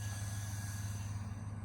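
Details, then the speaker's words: 2002 Chevy Silverado 1500 V8 just after fuel pump replacement: fires right up to a low steady idle with an even beat, no misses, knocks or leaks. "All right, let's try it out. Fired right up nicely. No leaks."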